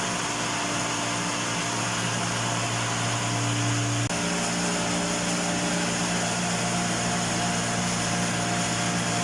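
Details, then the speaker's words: Fire pump on cistern tank after new gate valve fitted, star-delta starter: steady motor hum with a clean tone change around four seconds as it switches from star to delta, then smooth running; no leak, normal. "Ay, ayos na. Wala nang leak. Bagong gate valve ng fire pump."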